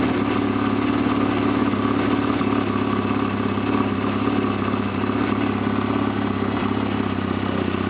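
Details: 1991 Honda Nighthawk CB250 twin, started from cold, with rebuilt carburettor: steady, even putter at constant speed with no knocks, misses or rattles; runs cleanly and sounds healthy.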